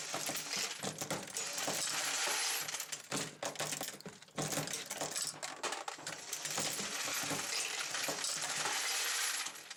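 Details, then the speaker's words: Dillon XL750 progressive press reloading 9mm Luger with case feeder, no bullet feeder: steady run of light metallic clinks and rattles as cases drop and the press cycles at an even pace; normal. "I am using a case feeder, and you're going to hear that feed cases as we go along here."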